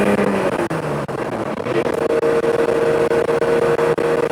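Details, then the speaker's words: Lexus IS300 after CD009 manual swap from G35, first drive: engine pulling with rough, uneven raspy puffing over a droning note; exhaust not fully connected and leaking badly; separate high-rpm rattle possibly transmission or trans tunnel contact. "Exhaust isn't fully connected, so if you hear it, it is leaking right here. pretty bad. It's leaking, but we're gonna get that all buttoned up in a minute."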